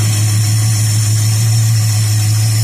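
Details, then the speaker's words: 1969 Dodge Dart that sat six months on old 10% ethanol gas, with stuck needle and seat and a deteriorated accelerator pump. After the carburetor gunk was cleaned and fresh gas poured in, it holds a deep, steady, even idle drone. "So, that makes me happy. Just had to clean the gunk out of the carburetor."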